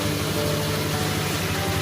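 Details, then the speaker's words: Honda Vario 125 scooter at idle, CVT side sounds smooth; coarse constant growl over engine hum from radiator cover area, fan possibly worn and loose: loose radiator fan. "Kipas kadang kalau sudah oblak bunyi ngorok."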